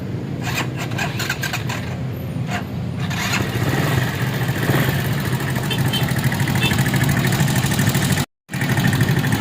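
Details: Viar VSR 200 motorcycle, already worked on at two other shops and now noisy, with oil suspected not reaching the top end through a blocked oil cooler passage: coarse, uneven, lumpy idle; running rough, cause not confirmed.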